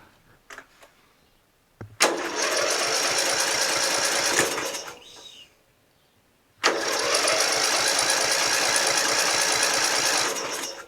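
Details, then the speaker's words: Murray LT widebody lawn tractor, 12.5HP Briggs flathead; with magneto kill wire reconnected, two long bursts of fast even cranking never catch; the wire is grounding the ignition; crank, no start. "it won't start with the magneto wire on there which means that there's something wrong with the magneto wire you know it's not grounding itself I mean"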